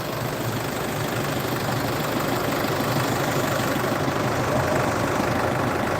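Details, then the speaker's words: Isuzu D-Max 2.5 Z VGS diesel pickup, 2014, about 70,000 km, first cold start of the morning: steady even diesel clatter at idle, no misses or knocks, no smoke; smooth healthy idle. "ก็คือรถสตาร์ทครั้งแรกไม่เคยสตาร์ทเลยนะครับนี่ดูครับเสียงเครื่องนิ่มมาก"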